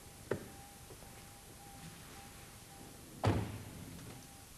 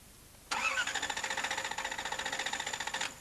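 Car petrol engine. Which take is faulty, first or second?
second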